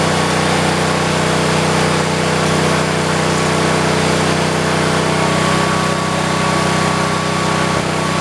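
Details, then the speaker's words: 1973 112 garden tractor single-cylinder engine, after new points, coil, condenser and carburetor; plug wire found cut and dry-rotted. Steady drone with faint uneven stumble; miss persists but lessened, mainly when clutch pushed down, runs good unloaded. "still got that miss, but it's not as bad. Kind of tempted to go down, maybe just go down one with it and see if going down one helps any better, to try to get that miss out of it. It's still got the miss to it."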